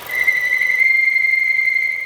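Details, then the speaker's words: Skoda Octavia 1.2 TSI (CJZA), heard on overrun when dropping from 2000 to 1000 rpm: thin, high, steady whistle from the oil separator (PCV) cover, probably a broken part. "бросаешь газ такого не проявляется звук идет как раз от крышки маслоотделителя"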